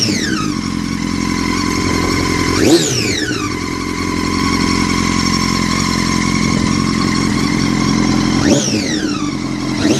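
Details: 2006 Honda CBR1000RR: high whine rising and falling with throttle blips, louder with revs; bike felt held back, hard to shift and to move in gear even with clutch held, rolls freely in neutral; cause unknown.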